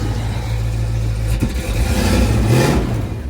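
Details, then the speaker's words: 1990 Ford Mustang crank-no-start, just after distributor replacement; engine catches and revs up smoothly and evenly, then settles back with a clean steady pull: normal running. "And then there it goes, baby. We are running."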